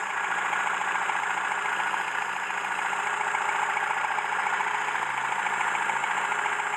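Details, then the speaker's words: Mercedes W115 not started in 3 years, run out of fuel, carburettor worked on, started not fully warm: smooth even idle with steady beat, no misses or stumbles; starts easily, normal idle. "good stuff started lovely that make sure there's no leak"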